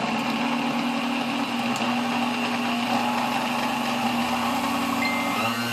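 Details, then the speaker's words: 1935 Sunbeam Mixmaster Model 1 mixer, first power-up before restoration: low steady laboring motor hum with no pitch rise; runs slowly with heavy drag, no speed increase above setting 6 up to 10. "Alright, it runs, although slow. You can hear a lot of drag on the motor, and it doesn't, once you get above 6, there's no increase in speed all the way up to 10, so that's something we'll have to work on."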